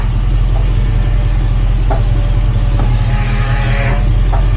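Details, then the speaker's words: Jeep Grand Cherokee WJ, engine idling, wheel turned fully right then rocked back and forth: four short dull clunks with a pause and jerk in the wheel plus brief power-steering whine; steering box suspected, not confirmed. "Yeah, see a bit of a pause, a bit of a jerk in that wheel. Let me see. I can hear a clunk."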